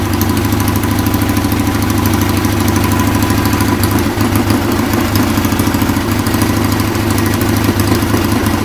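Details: Restored Triumph Bonneville twin, rebuilt from parts, warm: steady, even twin-cylinder idle with a firm exhaust beat, no knocks or misses, nothing strange from the pipes; normal idle.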